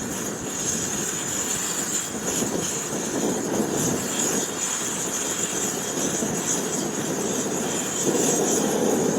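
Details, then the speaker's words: MSR WhisperLite backpacking stove fully warmed with valve wide open, ready for a quart pot of water; smooth, even, steady roar with bright hiss, no sputtering or pulsing, burning cleanly. "we go now it's nice and hot so at this point you just want to go ahead and put your pour quart pot of water on there and it will be boiling in no time"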